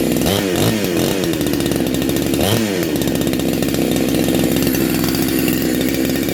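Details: Neo-tec NH872 chainsaw (372XP clone), big bore kit, cold start on second heat cycle: crisp throttle blips rising and falling cleanly, then a strong even high-rev scream; normal running.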